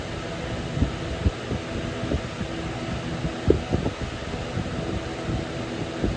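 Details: Early-2000s Holmes HABF-25 box fan running on high: over steady whoosh, loose irregular clicks and rattles a few times a second as the motor rattles on its mounts, cause unknown to owner; motor rattle.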